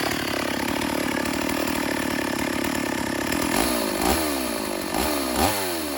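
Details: Stihl AV 028 Woodboss chainsaw after new fuel line and filter fixed lean bogging: steady high rev, then clean quick throttle blips without stumbling.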